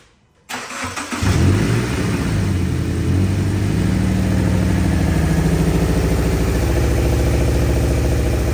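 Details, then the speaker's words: 2013 Subaru Impreza 2.0 non-turbo with a misfire complaint: engine catches, then settles into a lumpy, uneven, shaking idle with a stumbling beat; a cylinder is not firing properly. "ahí se puede ver como o se puede escuchar el motor acelerado y se escucha que no está parejo se ve como tiembla tiene un temblorcito Entonces ese es el problema que ellos vienen persiguiendo"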